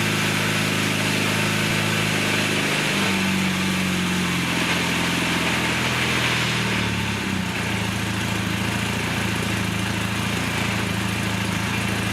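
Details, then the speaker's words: 1982 Honda Nighthawk 450 parallel twin, first start in over eight years after carb cleaning, on choke: idles smoothly, then revs lift and sag unevenly, a pretty good hesitation off idle, though it revs up well. "should we gouge it it's got a pretty good hesitation but it's revving up well"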